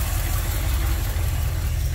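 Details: Carbureted V8 in a Ford F100, in park, idle speed being lowered and set by ear with a vacuum gauge: low, even rumble with no stumble or hunting, smooth and relaxed; exhaust smells rich, mixture screws need adjusting.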